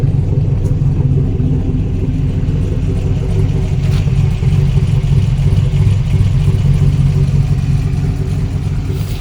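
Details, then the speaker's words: V8-swapped Chevrolet Colorado idling after an updated tune, new PCV setup and an oil problem, deep even rumble with a steady beat and no misses, knocks or ticks; sounds healthy. "I'm not sure how well you guys can hear me now with it idling but uh let me just kind of go around with it running and just let you guys hear that it's still sounding pretty good"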